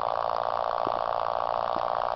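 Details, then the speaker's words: Pulse motor run from a solar-charged nickel-metal-hydride battery bank, heard before the permanent-magnet motor circuit is activated: a steady mid-pitched hum with a fast, even buzzing pulse and no knocks or scrapes, running normally. "okay that's what it sounds like just running here"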